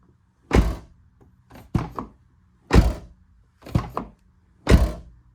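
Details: Used 5th gen Toyota 4Runner TRD Pro left rear door closed repeatedly: heavy thud with brief hollow buzzing rattle from loose material inside the door, found by removing door panel.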